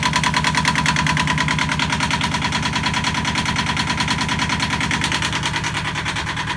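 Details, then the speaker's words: Yanmar marine diesel on a sailboat, started after bleeding fuel to the injectors by loosening the injector bolts: steady, even fast clatter with no misses or odd knocks; starts and runs cleanly. "so got the yanmar blade tonight it sounded good in it"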